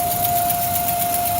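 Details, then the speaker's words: Ford Mustang at idle; thin steady whistle, owner first guessed plugged PCV valve, but PCV rattles freely, not clogged, soft PCV vacuum hose to be replaced; vacuum whistle at idle. "not good. Well, not bad, but funny. I'm guessing plugged PCV valve."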